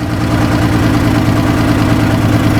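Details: 2014 Chrysler Town & Country 3.6 V6 idling with misfire (P0300, P0305), running rich (-33 trims both banks), low vacuum 2.3 inHg; new plugs, coils, injectors didn't fix it; low steady idle, faintly lumpy; cam found advanced, intake opening/closing too early.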